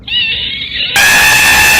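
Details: 1991 Toyota 4Runner 22RE, alternator/water pump belt reinstalled but not fully tightened: sharp high-pitched squeal right at start-up that jumps louder and holds about a second; loose belt slipping.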